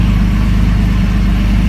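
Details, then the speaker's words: 2003 Jeep Liberty just started after cam and crank position sensor work, check engine light now off; low, uneven, lumpy idle with fuel smell: rough idle. "Well, that sounds like ass, but it's going. And the check engine light is off. So let's let it rev for a little bit. It's idling a little rough, but hey, the light is off."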